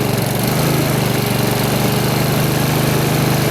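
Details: Brand-new Honda HRX2174HZA mower after its dead battery was charged to 12.7 V, electric start with auto choke on fast: initial auto-choke surging has died out, leaving an even, steady single-cylinder chug; running normally.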